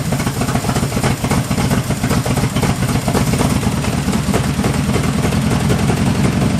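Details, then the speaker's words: 1974 Jeep CJ5 rock crawler, first start after sitting 4–5 years: loud low lumpy idle with uneven pulses and slight clatter, barely running; owner will raise the idle until varnished stale gas clears, cause suspected. "I don't want to die there a little bit to adjust the idle a little bit up until I get some of that varnish and stretch gas running through there"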